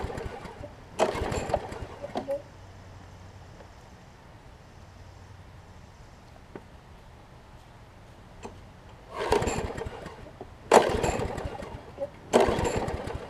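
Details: Troy-Bilt push mower, Briggs & Stratton Quantum engine converted from auto choke to primer bulb, pulled without priming: several sharp pull-cord bursts, none catching. Cranks but won't start; owner suspects water in the fuel.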